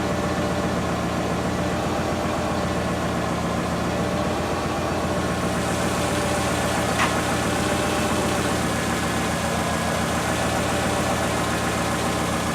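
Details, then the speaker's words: Subaru at idle, before Lucas oil stabilizer is added: steady idle with a light, fairly regular knock about four per second underneath. Owner suspects early-stage rod knock, unconfirmed. "So, I'm going to run it for a little bit to show you guys what it sounds like. If you have any input on what it sounds like, then please do, but I'm pretty convinced it's, early set rod knock."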